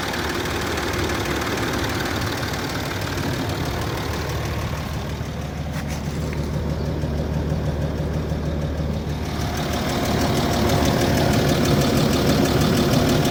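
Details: Land Rover Discovery 3 2.7 TDV6 diesel V6, hot engine at idle: a steady, fairly regular knock of about three per second over a low rumble; the knock appears when warm and its source is not identified.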